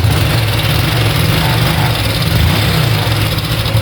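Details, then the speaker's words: Honda Biz/Pop 100/110 single idling with a fast, even rhythmic clatter that worsens when revved; cam chain and worn tensioner slapping, oil level normal. "deu para pegar aí no no vídeo né que tá fazendo um barulhinho esse barulho é da corrente comando"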